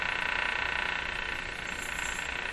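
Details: 1935 Rogers Model 7R622 tube radio on the AM broadcast band, with a capacitor box and jumper bypass fitted: steady hiss, faint warbling and very weak reception. The AM antenna transformer is burned and shorted; interference is also present.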